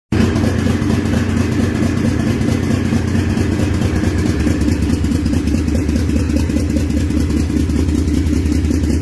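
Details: Toyota Chaser 1JZ-GTE, first start after tracing a no-crank wiring fault (apart from the temperature sensor): fires and holds an even, rhythmic idle with one brief blip; sounds like it runs properly.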